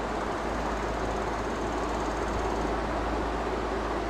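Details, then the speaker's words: Stand fan after repair, reassembled and tightened with grille refitted: smooth even whoosh of air, the earlier khot-khot knocking noise from the fan is gone; running normally. "দেখুন আগে যে ঘট ঘট ঘট ঘট ঘট ঘট আওয়াজটা করতো এখন আর আওয়াজটা নেই"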